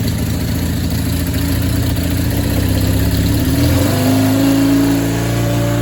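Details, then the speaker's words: 1987 Honda CB450S after an engine swap that stopped starting; starter motor was the problem, running after brief warm-up; steady running with a brief rev and smooth return; normal running. "so now she did warm up little bit and recharge the battery and now she starts like this which is really good"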